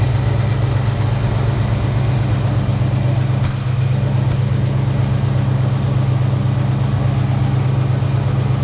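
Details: 1966 Ford Mustang 2+2 fastback with 82,000 miles, sitting for years, running after replacing a leaky fuel pump. A deep, steady V8 burble, slightly lumpy but even, with no misses or stumbles: normal idle.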